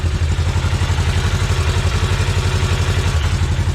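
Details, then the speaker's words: Segway Villain side-by-side at about 10–12 degrees, after primary clutch reinstall and engine seal leak: low, even idle thump at about four beats a second, smooth with no knocks or rattles. Normal idle. "Other than that, the unit's running fine. Sounds good."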